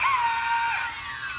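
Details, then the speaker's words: DJI Phantom 2 drone that crashed when steered one direction: high motor whine wavers and drops unevenly; one motor stutters, jams and crunches, blamed for the crash. "the jams that would definitely cost the crash"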